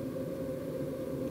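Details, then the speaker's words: KEF PSW2000 subwoofer at power-on, after op-amp and capacitor replacement, makes a steady rough low growl with buzzy hum: the preamp oscillates due to failed ±15 V rail capacitors. "I can hear it growling away. So something is oscillating, and it is oscillating rather bad."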